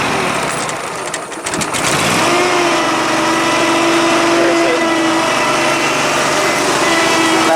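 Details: 72-inch Dixon mower, 1200 hours, after deck pulley repair and an intermittent misfire addressed: engine catches and settles into smooth, even run with steady hum, no misses or knocks.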